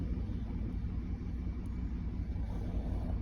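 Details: 2002 Ford Explorer 4.6 V8 with codes cleared and no mode 6 data: deep, uneven, stumbling idle from misfires on cylinders 4 and 8 on the back bank, found with a cylinder contribution test.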